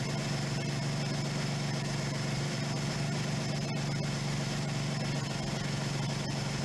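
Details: 1977 Suzuki GS550 four-cylinder, first start after two years stored: steady low, even idle with a smooth rumble and no knocks or misses; normal cold idle during the three-to-four-minute warm-up.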